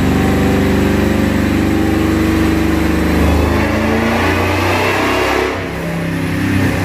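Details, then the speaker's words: Ford SVT Lightning V8 truck on a dyno, check pass on the rollers: held hard under load with a ragged, uneven beat and stumbles. Misfire blamed on aftermarket MSD coils. "hey guys so we just got back from the dyno and uh yes we had some issues with the truck"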